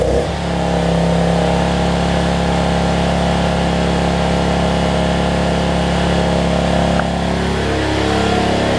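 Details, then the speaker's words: Generac 7500EXL generator with the low oil switch unplugged: steady, slightly high-pitched drone with no hunting, reading about 130 instead of 120; running too fast, governed speed set too high, throttle later backed off. "so yeah 1 30 she's running a little fast 120."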